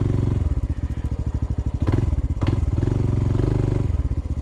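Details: Honda CT125 on a steep uphill trail ride: low fast thump with hard rattly clatter as throttle opens, sounds about to seize; possibly rod or bottom end, unconfirmed.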